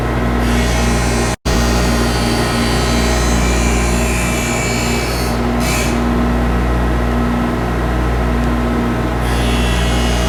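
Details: Skate profiling machine grinding a pair of CCM hockey blades, toe adjusted while pivoting on the heel bearing: steady motor hum with an even raspy grind as the wheel passes along the blade past the front line; normal profiling grind.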